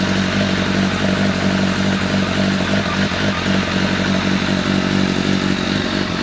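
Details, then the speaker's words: Honda CBR1100XX Blackbird with a replacement engine, first start after stripdown: even, steady four-cylinder drone with smooth light revs and no knocks; some smoke, owner thinks from grease heating up. Normal running. "Oh my god, we have a running bike. Got a bit of smoke in places."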